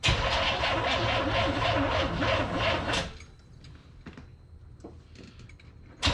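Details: Corvette with carburetor, on jump pack after dead battery, fuel pressure gauge fitted in line: starter chugs three to four turns a second for three seconds then quits, never catches; crank no start, owner suspects carburetor fueling issue.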